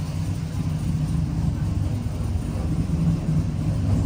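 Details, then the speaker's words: 1999-06 Chevy Silverado V8 with new Flashark headers and intake, idling lean around 15.4–15.5 AFR: steady deep rumble, crisp, cam audible, no knocks; healthy idle. "It sounds so much more crisp. Listen to that. You can hear that cam sing."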